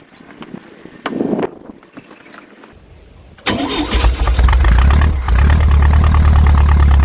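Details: VW Brasília air-cooled flat-four after swapping a points distributor for an electronic hall-sensor ignition distributor, recorded outdoors in heavy wind: short crank, quick catch, then a steady, even idle with a light rev, normal start and idle.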